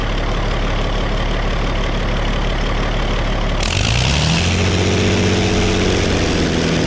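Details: Circa-1960 early Case 930 diesel tractor, possibly first start in about 14 years: even, steady rumble at idle with no knocks or misses, revs lift smoothly and settle; occasional slight miss, otherwise healthy.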